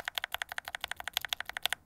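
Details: Glorious Lynx linear mechanical switches with keycaps, lubed with Krytox 205g0 from unlubed to extremely over-lubed: quick steady keystrokes with soft, rounded clacks, over-lubed ones losing responsiveness.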